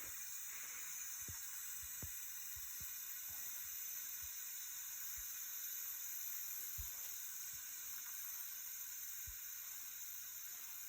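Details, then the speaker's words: Subaru STI boost leak test at about seven pounds of applied pressure, after intake install and new clutch: faint steady high-pitched hiss with a few soft ticks; soapy water shows boost leaking at the bypass valve hose clamp. "here's some pretty good hissing around there so when you spray some of those soapy water in there you can actually see i've got a pretty good leak around the hose for the uh bypass valve there"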